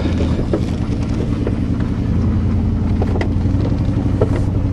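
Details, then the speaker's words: 1987 Chevrolet truck while driving, with no brakes and no power steering belt: heavy, lumpy rumble with an uneven beat under load, thought to be running on six cylinders, a misfire; cause not confirmed, plug wires checked next. "feels trucky it's running on six cylinders I think"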